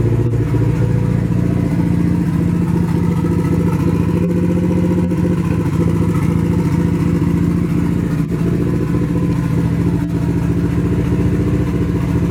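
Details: Nissan 240 with a newly installed SR20, at its first start. It runs through an open downpipe on the original old gas. The exhaust beat is uneven and stumbling, about three and a half pulses a second, with loose rhythm under revs. Misfire; owner suspects bad gas, but the cause is unconfirmed.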